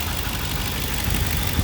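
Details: 2007 Ford Explorer 4.6 L, 115,000 km, under the hood, battery just over 12 V, charging about 14.6 V: steady, even low idle with smooth unchanging rumble, no knocks or misses; normal idle.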